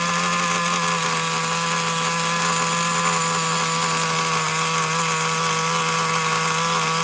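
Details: Traxxas Nitro Slash nitro engine on the bench: a high, steady buzzing tone that sits well above idle without settling. The throttle linkage is slightly off and holding the carburetor a little open.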